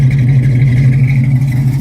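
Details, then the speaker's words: 1972 Ford Mustang Mach 1, 351 (5.8L) V8 with solid lifter cam, Edelbrock intake, Holley carburetor, headers, stainless exhaust, cold start after a few hours sitting: deep, choppy idle with steady low rumble and slight lope. Normal performance-cam idle. "The cam sounds pretty good in this car. It's got a very deep tone to it."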